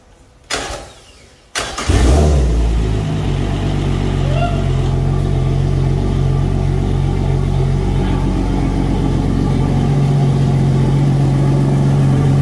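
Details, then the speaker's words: Yamaha F250 outboard on a Grady White 216 Fisherman, run on a hose during annual service. It cranks briefly, catches quickly and settles into a smooth, steady low idle hum with no knock or misfire. Kept at idle to avoid starving the water pump. Normal idle. "sounds good when you run on the hose you get enough water pressure to run it but you don't want to rev it up or anything or you could starve the water pump and hurt it potentially so letting it idle is okay but i wouldn't rev it up at all"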